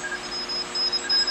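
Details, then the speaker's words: QRP Pixie ham radio kit returned for an audio hum with no code; the bad LM386 audio amplifier was swapped for another one. Clean keyed tone bursts come through with no hum underneath: clear receiver audio after the fix. "all right that's this the powered ones right there so sounded good"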